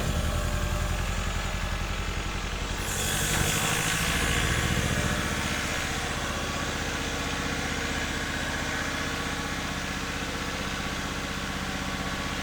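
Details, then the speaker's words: 1976 RA23 Toyota Celica, rebuilt engine stored for years, just started cold on its own fuel system: it chugs unevenly with a lumpy, stumbling beat instead of a smooth idle; misfire from crossed plug leads in the wrong firing order, possibly on 2 or 3 cylinders. "All right, so that ran better that time, to the point where I turned the ignition off. I didn't have to wait for it to stall out. I think it's getting better."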